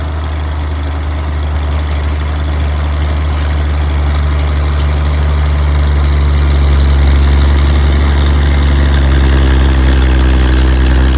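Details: Old Caterpillar D6 diesel dozer warming up, with a deep, steady, even idle throb and no knocks or rattles. It smokes a bit but sounds good; normal idle.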